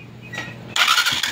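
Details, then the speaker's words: Honda TMX Alpha 125 motorcycle after its noisy, grinding starter motor, with a failed bearing and misalignment, was replaced with a good surplus unit; short, clean starter whir and the engine catches with no grinding: normal electric start. "Try na natin ulit na kabitan na natin po ng surplus. Pero magandang klase pa naman. Alright. Try natin kung maririnig pa natin yung maingay kagaya kanina."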